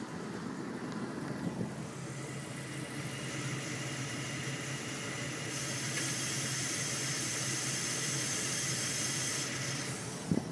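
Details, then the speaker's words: Dodge truck with a check engine light and rough idle: steady airy hiss, like air being sucked in, from under the intake over a low, uneven idle; the fault is intermittent. "sucking noise is coming right from under the intake."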